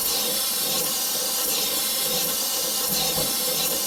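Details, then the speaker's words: Morey vertical slotter cutting internal keyways in manganese bronze worm gears with Kool Mist coolant moved to a new spot: loud steady spray hiss over slow cutting strokes under one per second; sounds off, blamed on poorly aimed coolant, so sprayer is moved. "you know what I don't like where that's spraying I don't like the sound it's making it's a little different than what I had before we're gonna go ahead and just move our coolant sprayer"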